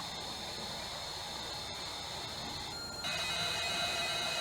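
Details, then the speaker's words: Amstrad CPC 464 after repair of suspected failed gate array, loading a game from the built-in tape deck: steady high data tones changing pitch, no dropouts or warble; loaded perfectly, belts still to be replaced. "so did it load you could probably hear it did yeah uh he loaded perfectly fine guys"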